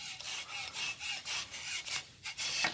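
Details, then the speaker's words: 2012 Volkswagen Passat removed stabilizer bar worked by hand: dry creaking rasp about twice a second; worn joint with excess play that should stay tight, causing the speed-bump noise; bar and links replaced. "아무리 움직여도 이렇게 붙어 있어야 되는데, 그런 식으로 해가지고 소음이 났다, 그렇게 보시면 돼요."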